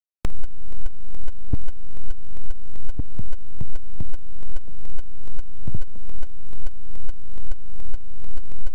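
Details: GoPro camera audio glitch, one clip only and never since: steady train of electronic pulses, about 143 a minute, each swelling then cutting off; recording glitch of unknown cause, not mechanical.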